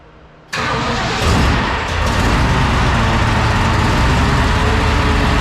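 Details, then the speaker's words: 1969 Ford F-100 460 V8, naturally aspirated first start: loud steady run with hard edge and some whine, source not pinned down; owner found a totally loose exhaust pipe off the headers, open exhaust past muffler as possible contributors, unconfirmed. "One of my exhaust pipe coming off the headers there was totally loose. So, you know, that can make a decent amount of noise."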